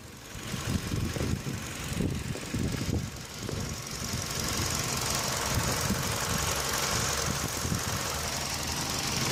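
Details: Running engine heard through a selfie stick pressed on an engine bay component, knuckle to phone mic: a loose, uneven tapping rattle, strongest at first. The owner previously diagnosed it as the radiator fan housing.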